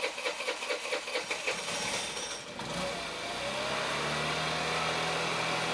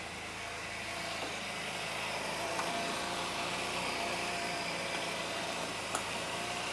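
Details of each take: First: Honda Elite 80cc scooter after carb rebuild kit (new O-rings, idle adjustment jet) started in hot weather; starter churns, engine catches and settles to smooth steady idle, idle slightly high; intake manifold boot still leaking; healthy start. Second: Honda Elite 80cc scooter after a carb rebuild (new o-rings, idle adjustment jet): engine buzzes fast and steady with no dips and runs well, but idle sits a little high; the intake boot still leaks.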